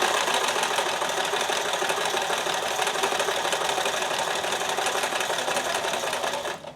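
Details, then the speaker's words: Sewing machine at high thread tension, thread audibly pulling: steady running about three stitches a second with even clatter; still dropping stitches; skipped stitches. "I have to hear the noise of the thread pulling now. It's dropping more stitches now. So it's back to 6. Oh, it's still dropping."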